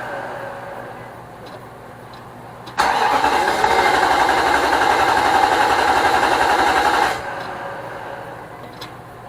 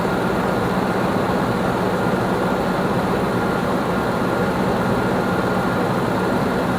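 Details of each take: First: Nissan Armada 5.6 V8 (2006) just swapped into a truck, on its first cold start with fresh fluids. The starter spins briskly for about four seconds with no firing at all, a crank-no-start. The owner suspects the crank sensor after ruling out plugs and connections; the fuel pump is also questioned. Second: 2006 Nissan Armada 5.6 V8 (body 185,000 miles) freshly swapped and running after crank sensor replacement: a steady, even idle with a smooth low rumble and no knocks or misses. Normal, healthy idle.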